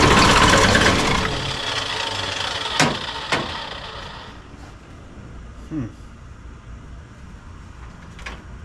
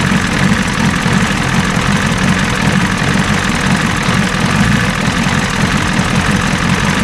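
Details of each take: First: 1986 Ford F350 diesel after replacing the leaking fuel return lines: the engine catches loudly, then stumbles and fades with isolated pops and coughs. The owner suspects air in the new lines, or possibly a poor signal to the pump. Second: 1986 Ford F350 diesel running after fuel return rail leak repair, now fed from the tank at low fuel pressure (about 6-7 psi): even, steady diesel clatter at idle with smooth low rumble, no misses or knocks; normal diesel idle.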